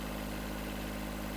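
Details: Kubota B7001 diesel tractor idling after new alternator fitted, about 10 minutes running, multimeter showing 13.11 V; steady, even low hum with no knocks or rattles, charging normally, temperature fine, engine running smoothly.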